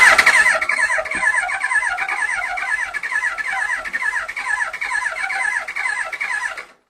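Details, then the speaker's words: Yamaha R1, carbureted, off road about 5 years, clean spark plugs, replacement fuel pump: starter cranks steadily about six seconds with no firing at all; spark not checked, carbs need rebuild. Crank no start, cause unconfirmed. "So she doesn't start with clean spark plugs cuz I probably should have checked out the spark when they were out."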